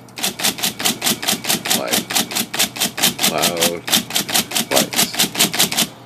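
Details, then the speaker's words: IBM Selectric typewriter after dual impression control cable replacement, impression lever being adjusted: crisp, even strikes about two per second with a light, consistent snap; typing action sounds healthy and working. "it's definitely working so you can have paper in there and try it but I can hear it so it's got a certain sound or language"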